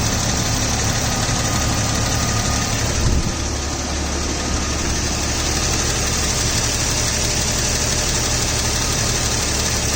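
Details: 2000 Jeep Cherokee XJ petrol idle with a light, fast tick from the rear bottom of the engine, faint against the hum. Slightly louder when hot, gone off idle. Owner suspects the flexplate, not confirmed.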